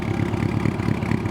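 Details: Old Honda Gold Wing idling after being started by shorting the starter with a screwdriver: smooth, even low burble, no knocks or misses. The start switch is suspected; the carbs leak petrol and probably need cleaning.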